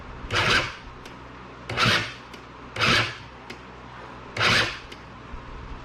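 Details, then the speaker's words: Small engine machine with a replacement starter fitted: four short rasping whirrs about every 1.3 seconds, engine never turns; owner suspects binding at drive pulley or Bendix. "so it's doing the same thing with the new starter on it that it was before so something's too tight in there it's just not turning so now i'm thinking that something's bound up here with either the drive pulley or the bendix or the way the starters matching up with the bendix"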